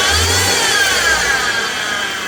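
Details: 2016 BMW X3 xDrive28i with N20 petrol engine running: a steady high whine over the engine without wavering; diagnosed as a failed belt-drive pulley bearing.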